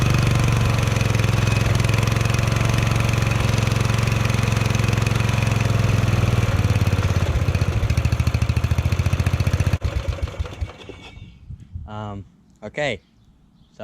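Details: Murray ride-on mower that sat 1–2 years: engine pounds unevenly near full speed, loping rough about ten seconds then dying; choke stuck on and throttle stuck wide open caused rough running.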